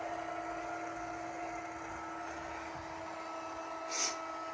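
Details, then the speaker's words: Litter Robot 3 after fix, near end of cycle: steady low motor hum, smooth with no clicking; full cycle completes normally after fix. "okay so it's almost done cycling and there's no clicking so it is possible guys to get rid of that clicking noise"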